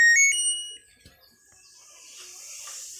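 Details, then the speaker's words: Coin-operated washing machine after replacing the faulty control board that wouldn't power on: a couple of short high beeps at switch-on, then near quiet; board powers up and responds normally. "ลองกดStopนะครับอ่ามีเสียงปกตินะครับกดเปิดปิดเครื่องอ่าทำงานนะครับ"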